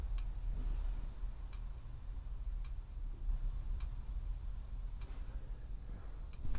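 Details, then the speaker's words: 1964 International Harvester Travelall C1100: the new flasher unit behind the dash clicks sharply and evenly, about once a second, over a low idle hum. The turn lamp stays dark though the right side works; a ground fault or short is suspected. "then I got to figure out why what's going on with this light where it's not blinking because I I have a new flasher unit behind the dash in this thing and it does work for the right side"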